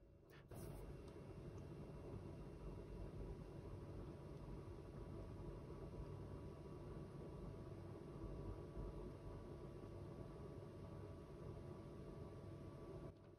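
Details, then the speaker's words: HP ProCurve 1800-24G J9028A switch after swapping the original ball-bearing fan for a Noctua NF-A4x20, before fitting the low-noise adapter: low, steady whir with a faint even hum, no rattle or buzz; much quieter than before. "as we can hear it definitely makes sound but it's nowhere near the one that we had last time"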